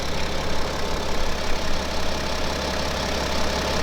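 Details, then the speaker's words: BMW X5 F15 with second-hand N57D30 313 hp diesel replacing one with spun main and rod bearings, almost cold, only a sensor fault code before the catalytic converter: deep, even idle with light regular clatter, no misfire or knock; runs smooth. "I think the only F that we get the car is running smooth it's accelerating good"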